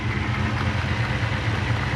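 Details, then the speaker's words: Lexus LS400 UCF20 1UZ-FE VVTi, about 1998–2000, after a cam job, codes P1346, P1349, P1351, P1354: a steady low V8 idle with a faint uneven pulse; both VVTi actuators found locked solid and not moving. "if I should check both sides eh the actuators are locked solid and they do not move"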